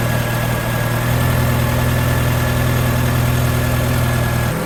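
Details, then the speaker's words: Japanese-import Alfa Romeo 145 Cloverleaf, nearly 25 years old, warming up after about 2 minutes' running, thermostat not yet open: smooth, steady low idle hum, no knocks or misses; engine idling healthily, cooling system later judged fine. "So let's warm the engine up a little bit more and see how much this changes."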